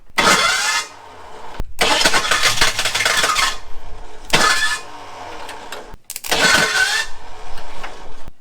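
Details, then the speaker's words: Abandoned Ford Thunderbird with no fuel pressure (fuel pump audible, inertia switch found) cranks with a harsh metallic grinding burst each attempt, then silence. The starter isn't meshing cleanly; owner thinks he has smoked the flywheel. Cause not confirmed. "all right so i think where we're sitting now is that i have just completely smoked the flywheel trying to get it to start"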